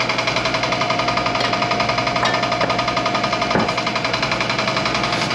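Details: Old air compressor, reassembled after tank hydrotest: steady pump chugging at roughly three beats per second with light clicking; the clicking is just the check valve, nothing wrong with the pump, normal running.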